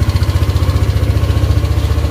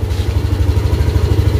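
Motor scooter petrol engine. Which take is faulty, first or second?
second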